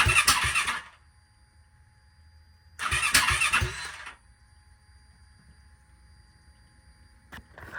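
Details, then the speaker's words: Turbo Yamaha YZ450F dirt bike with new engine, E85 and FuelTech aftermarket ECU, cranking after ground wire install: two harsh cranking bursts with sharp exhaust pops and no catch, a backfire from ECU timing not synced to mechanical TDC. "because as you saw in the video last night when I attempted to start it, it was basically a big backfire out the exhaust."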